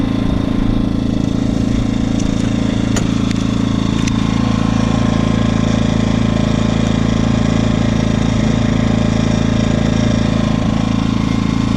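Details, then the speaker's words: New Predator 2000 watt inverter generator powering a lamp: steady, even hum with unbroken beat and no hunting or misses under light load; running healthy. "But it's running really well. I'm really happy with this part of it so far."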